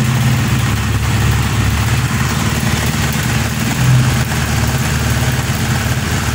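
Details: Honda CB150R/Sonic/Supra GTR-type engine started after engine work and camshaft timing setup, checking no strong spurting or air bubbles: steady, even low-pitched idle with no knocks, ticks or hunting; settles and runs smoothly, healthy.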